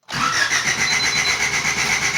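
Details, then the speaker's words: 1988 Honda CRX Si after new fuel pump fitted, low fuel pressure suspected: starter spins at even rhythm with a whine for about two seconds but engine never catches; cranks without starting, cause unconfirmed. "Nothing. So, what could it be? Well, at least the car now has a new fuel pump."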